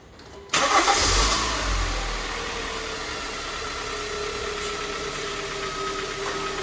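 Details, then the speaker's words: High-mileage Kia cold start after oil change with fresh full oil; cranks briefly, catches with quick flare, settles into smooth even idle without its usual startup rattle, normal cold start. "I guess that cold startup didn't sound too bad with all that oil in there."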